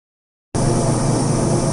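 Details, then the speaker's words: NCA 200 air caloric irrigator with airflow on, recorded to compare against the ICS AirCal, about 13 dB louder: loud, steady hiss with a low hum underneath, even throughout; normal airflow noise. "This is the sound of the NCA 2000 with airflow on."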